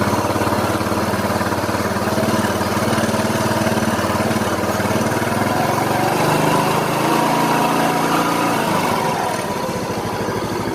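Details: Yamaha Mio Soul after engine rebuild and reassembly, cranked first to circulate oil, then started; steady, even single-cylinder idle with a slight pitch shift near the end and no knocks or ticks. Sounds healthy.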